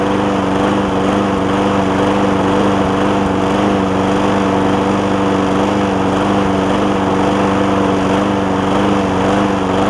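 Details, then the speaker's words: John Deere JA60 push mower after stuck-valve fix and cleaned carb, air filter refitted: pitch rising and sagging about twice a second; still surging, debris in a jet or intake air leak suspected. "And she's all over the place."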